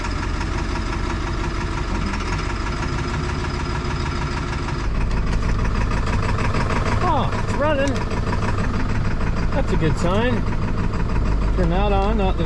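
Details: Diesel tow truck bought at auction, idling in the cold after a new starter, steady low diesel clatter, no misses or knocks; normal cold idle, high idle not engaging.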